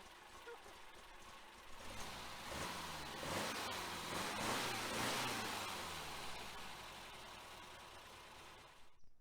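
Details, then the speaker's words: 1966 Volkswagen Type 3 Fastback with freshly rebuilt, enlarged flat-four during cam break-in: even, steady idle with a smooth regular beat, no knocks or ticks; healthy, though the carbs still need tuning. "good does sound good sounds good definitely got a little bit of tuning left on the carbs"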